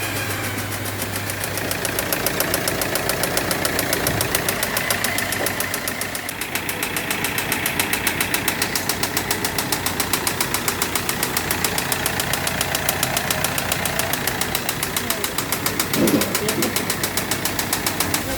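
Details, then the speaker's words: Audi Q3 diesel idling before repair, emitting heavy black smoke: rough uneven knock about three or four times a second; injector check found the first not working and the third partly working. "ये जो sound आ रहा है कि सन में से आ रहा है एक बार ये चेक कर रहे हैं हम तो सबसे पहले हम इसके इंजेक्टर को चेक करते हैं इसके इंजेक्टर जो है पहला वाला काम नहीं कर रहा है"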